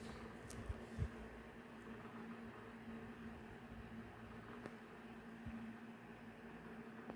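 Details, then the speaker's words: Mainstays 12" oscillating table fan running. A quiet, steady low hum with even airflow hiss: a whisper-quiet motor that hums less than other table fans, though some rattle is noted. "it is pretty whisper quiet it hums a lot less than the other table fans I have"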